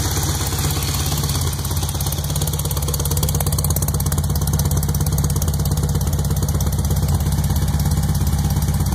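Lumpy idle with regular popping knocks, roughly a hundred a minute, over a deep exhaust rumble; fresh rebuild, cause unknown.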